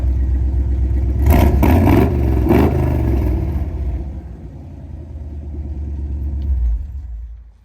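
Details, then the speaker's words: Restored 1972 Jeep CJ-5 with rebuilt factory 304ci V8, 3-speed manual, about 500 miles since completion: several quick, clean throttle blips then steady even idle before shutdown; healthy engine. "Go ahead and fire it up here. Doesn't get much better than that."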